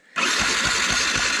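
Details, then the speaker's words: Yamaha MT 125 being revived after a crash, fuel pump priming, cranked with a spark plug out for testing: fast, even starter whirr with regular compression pulses, never firing; no spark, fuses to be checked next. "yeah you do not have spark no spark cranks but no spark"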